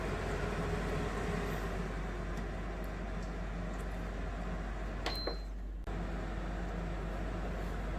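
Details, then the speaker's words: APA 10-litre 85 W air cooler on low, natural and sleep fan speeds: soft, steady whoosh with a low hum and one short control beep; even, quiet, normal low-speed running. "Nah, ini udaranya sangat kencang ya, kedengaran di kamera."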